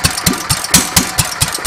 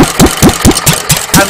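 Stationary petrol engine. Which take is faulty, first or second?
second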